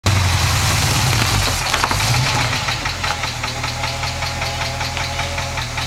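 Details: 1967 International 1200B pickup idling with a loud, sharp tick two to three times a second that doesn't fade as the engine warms. Owner suspects lifter tick; cause unconfirmed.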